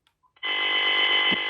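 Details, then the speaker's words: Intelbras Conecta PBX on the bench after a lightning strike, handset off hook on an extension: steady harsh buzz instead of the extension dial tone, with the scrambled signal reaching the matrix; no dial tone due to lightning-damaged matrix IC. "não tem o tom, só esse barulho, ó, onde teria que ter o tom de ramal."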